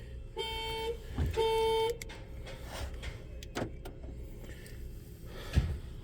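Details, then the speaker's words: 2010 Nissan Cube bought for $500, arrived in limp mode, no power to start, foot-on-brake light not showing, jump start failing; two short steady mid-pitched horn chirps about a second apart as alarm is triggered; alarm sounder works. "Oh, okay. So, the beep works whenever you hit the the alarm."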